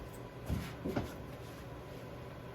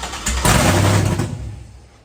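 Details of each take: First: Engine before its first start attempt, with the anti-theft system disabled in the ECM, fuel added and good oil pressure confirmed: the starter spins it briskly and evenly at about 200 compressions a minute with no hesitation. Normal cranking. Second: Freshly installed engine, first start with VATS anti-theft disabled, jumper start, no radiator: fires and runs rough about a second and a half, then dies; suspected immobilizer-related start-then-stall.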